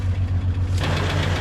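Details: 2000 Jeep Cherokee XJ just started, with oil pressure: a deep steady idle with a fast, even tick about ten per second. Coolant in the oil is suspected, and the engine later ran rough and got warm. Cause not confirmed.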